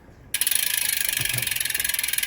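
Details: Shimano Ultegra road bike drivetrain, smaller chainring with chain angled but clearing the front derailleur: fast even freewheel ticking, roughly twenty clicks a second, no scraping or rubbing; cross-chaining avoided, chain runs silently, normal drivetrain operation.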